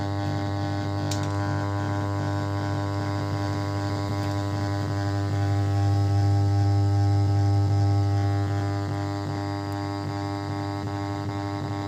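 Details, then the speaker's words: 5.1 home theater subwoofer hums with a steady low buzz right after power-on, easing somewhat after a while but never stopping; reduced by adding a capacitor on the subwoofer supply. "இந்த sound தான் நம்ம stop பண்ணனும் கொஞ்ச நேரம் ஆகும்போது இந்த sound வந்து பாத்தீங்கன்னா அப்படியே கம்மி ஆயிருது"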